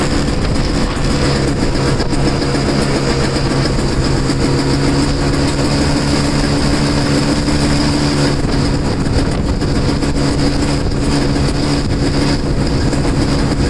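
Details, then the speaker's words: Two-stroke snow blower started in cold, windy weather after sitting 10 months, choked and unprimed. A constant buzzy drone holds steady pitch with no surging or dropouts. Started pretty good; self-propel isn't working and owner suspects a worn impeller. "So, all right. So that started up pretty good."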